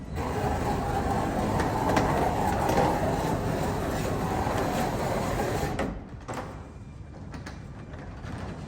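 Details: Garage door before replacing old metal rollers with nylon ones: loud rattling, banging and scraping clatter as the door travels, then a quiet opener hum, worn metal rollers banging in the track.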